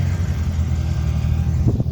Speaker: So, as you can hear, she's got a pretty sweet exhaust leak, which is one of the things that I need to fix in order to uh get it legally on the road in Massachusetts.